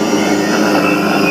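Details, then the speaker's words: Motor driven by an INVT CHF100A VFD after carrier frequency parameter P0.14 is raised from 1 to 8 and higher: dense, steady hum with only faint high tones, as the motor's carrier whine fades away. "ये देखें मोटर की आवाज़ आहिस्ते से कम होने लग गई है। ठीक है, अब मैं इसको और अब बढ़ाता हूँ। ये देखें अब मोटर की आवाज़ बिल्कुल भी मोटर की फ्रीक्वेंसी की आवाज़ नहीं है।"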